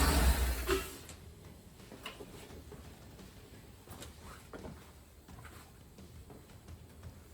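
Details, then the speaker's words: 2009 Chevrolet Avalanche V8 at 290,000 miles, running after the AFM lifter failure repair and without coolant yet; it settles into a low, even idle on all 8 cylinders with no lifter clatter. "Much nicer sounding. No more clackety clickety bangety bang. Runs on all 8 cylinders again."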